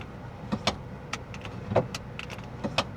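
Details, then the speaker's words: Lexus LS430 power window, likely unused for a while: motor labours with irregular clicks and soft thumps instead of a smooth whir, glass travels slowly and sticks; slow, sticking window. "Do the windows work? Yep. Little sticky cuz they probably haven't been used in a while."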